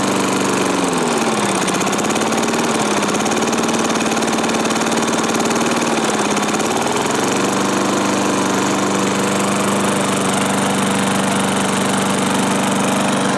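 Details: 1986 Murray small single-cylinder mower engine after restoration with hoard parts and fresh oil, started on full choke (no real throttle); it catches, hunts briefly on choke, then settles into a steady, even run with no knocks or misses.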